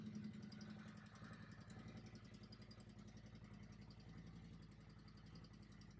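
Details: Harley-Davidson CVO just after a 3-hole oil change with Syn3 20W-50, in neutral: even, loping V-twin idle with a steady low beat and no knocks or ticks. Engine sounds healthy; normal idle.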